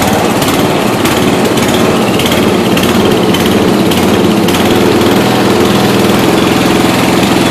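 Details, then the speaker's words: 1992 Yard King gear-drive lawn tractor just restarted after about seven years sitting, still cold: small single-cylinder runs loud and ragged with uneven firing; rough running, owner expects roughness after storage. "for now let me just take the charger off of it this is very cool yeah she's gonna run a little rough but"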